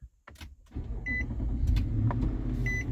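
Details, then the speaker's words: 2016 Infiniti QX80, test light back-probing the IPDM start signal wire at the starter solenoid: short click and chime, then the engine catches quickly into a smooth, steady idle; normal start, though the intermittent starter was the fault. "okay so you saw it come on there for a moment while it was sending the signal to starter and yay the engine started that's great we saw everything worked the way it should"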